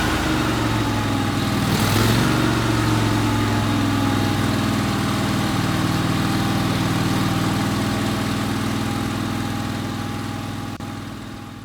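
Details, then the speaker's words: 1998 Craftsman GT tractor, Kohler CV25S 24 hp V-twin, after carburetor cleaning: smooth, regular idle at about four beats a second with no surging or stumbling; running much better; normal idle. "it seems to be running a lot better now and I cleaned the carburetor a little bit"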